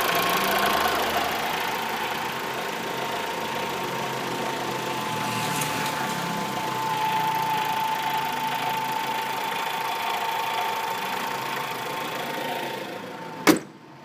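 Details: Fiat Marea at idle: fast light ticking about four per second with a thin whine above a steady idle; engine knocking noise of unclear origin.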